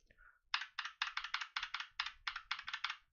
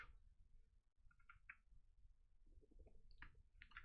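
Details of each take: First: Holy Panda keyboard switch, unlubricated, heard on a GMMK keyboard for comparison with a lubed one: quick bursts of bright, clacky keypresses with a loose, rattly edge; unlubricated key switch rattle. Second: definitely a lot smoother than before and the sound is a little bit camp and clear the difference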